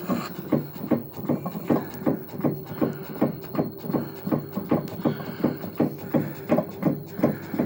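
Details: Washer WA5451ANWXAA/02 making rhythmic, steady rubbing thumps at about two to three per second, repeating with each turn. The origin inside the washer is unclear.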